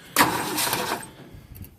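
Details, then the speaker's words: Ford Falcon, believed 170 cu in inline six, first start in about 17 years since 2001, fresh battery, given starting fluid: sharp catch, about three-quarters of a second of rough running, then dies; brief firing on starting fluid. "oh yeah she's sounding good he's gonna run okay well she didn't like that"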